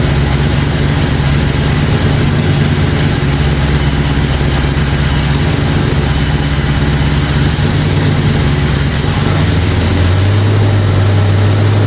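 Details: Freshly built Ford 445FE V8 in a 1962 Ford Galaxie, first fire-up on synthetic 30-weight break-in oil: deep, steady idle with an even beat, settling slightly lower near the end; new engine running smoothly.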